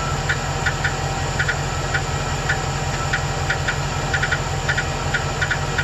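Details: 2008 Chevrolet Express 2500 4.8L: light, sharp ticks in irregular bursts, about two a second, over a steady idle, disappearing when rpm rises; owner suspected a collapsed #8 lifter but is unsure, cause unconfirmed.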